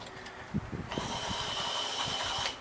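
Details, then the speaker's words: 1966 Ford F100, engine off: original windshield washer button gives a thin, steady electric whir for about 1.5 s then cuts off; original washer pump still works. "That pump still works. So we're actually going to try to keep that."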